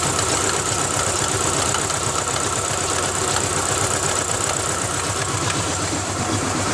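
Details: 2000 Ford Ranger XLT 2.5L that barely idles and dies in gear: rough uneven idle with a fast loose slapping patter about four per second; owner suspects the timing belt slapping the timing cover, unconfirmed.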